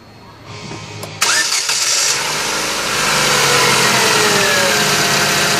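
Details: 2011 Chevrolet Aveo after replacing the faulty camshaft position sensor: a short crank, then it catches at once and settles into a steady, even run. A clean, normal start.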